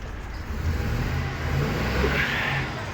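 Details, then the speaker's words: 2007 Chevy Express box truck with an intermittent no-start after PCM replacement and programming, fuel nearly empty: revs with an uneven, stumbling note that never smooths out; terrible misfire, check engine light on. "Got a terrible misfire, but ooh, that's a beauty."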